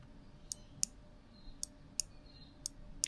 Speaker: That should change the polarity from negative to positive or positive to negative and keep the power to the slipper, so the car won't lose power over the the break in the braid.